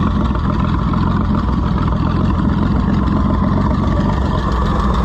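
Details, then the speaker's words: Farmers Union Co-op No. 2 tractor after an oil change and stop-leak; motor possibly a swapped-in truck engine with a history of sludgy oil: deep, steady, even idle, no knocks, misses or rattles; healthy. "It makes you nervous to stand in front of it because it sounds like it's going to hurt you."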